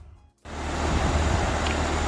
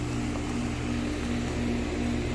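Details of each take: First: Outdoor AC/heat pump condenser after preventive run capacitor replacement (unit was working before): kicks on after short silence, settles into steady even whoosh with low hum; running normally. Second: Outdoor AC/heat unit called on; loud steady hum with condenser fan not spinning, starts if pushed; failed run capacitor, fixed by replacing it.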